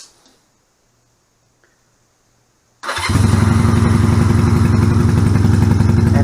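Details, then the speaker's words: 1986 Honda Rebel CMX250 twin, felt off when ridden, owner suspected running too rich; starts at three seconds into an uneven thumping idle; pulling one plug wire changes nothing, pulling the other stops it, so running on one cylinder; fixed by repairing the dual carbs. "and now i pull this one bike stops that means it is only running on one cylinder"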